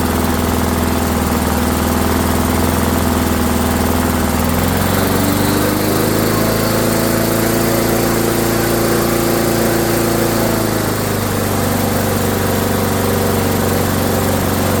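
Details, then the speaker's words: Discarded Rally lawnmower, small single-cylinder engine just started after repair: fast, even drone shifting up in pitch midway; sounds like it's running a little fast, idle to be adjusted. "Sounds like it's running a little fast."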